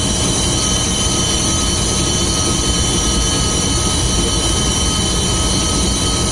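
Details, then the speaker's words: VAZ classic (2101-2107) on a lifted car, running in gear: steady dense droning hum from the rear axle, a worn axle shaft bearing, easily mistaken for the differential, which had already been replaced without curing the noise. "Такой гул вот издается, надеюсь, слышно."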